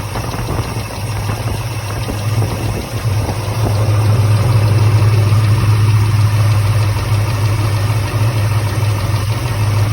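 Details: Chevrolet 454 big-block V8 at idle: a quick light ticking from a bad lifter over an uneven, lumpy beat from a misfire, causing vibration.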